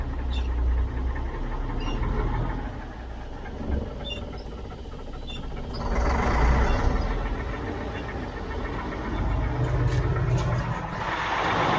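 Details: 1977 Mack R model diesel truck, about 45 years old: the starter grinds the engine over in long bursts with the accelerator slightly pressed, with no firing. It cranks but won't start; the owner suspects no fuel is arriving.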